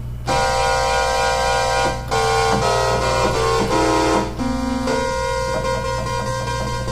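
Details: Oberheim OB-8 analog synth, voices five to eight played as chords shifted up an octave: sour chords with slow wobbling beats; voices out of tune, later fixed by replacing capacitors on the voice board, likely in the tuning sample-and-hold circuit.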